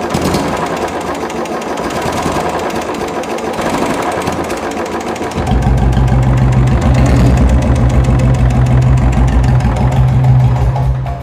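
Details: Royal Enfield Bullet single-cylinder engine at idle, noisy engine complaint; sharp even tapping about three times a second over the idle, attributed to the decompressor pin holding the valve open.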